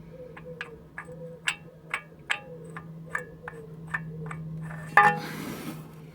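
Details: VW T4 2.5 TDI diesel idling after crankshaft damper pulley change: sharp, regular knock about twice a second; first suspected moved pump timing, found sloppy, loose crankshaft timing pulley.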